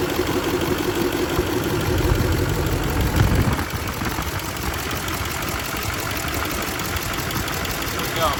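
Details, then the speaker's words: 2004 Duramax LLY diesel after replacing idler, tensioner and a slightly smaller belt (old idler pulley had come off): smooth idle, no squeal, chirp or slap from belt side; belt drive sounds right, normal idle. "all right, cool. That seems fixed."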